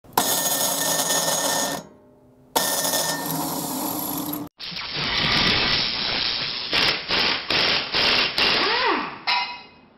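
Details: Snowblower electric starter: two harsh grinding bursts as it engages, the starter gear scraping the flywheel ring gear teeth because the starter is loose; free fix.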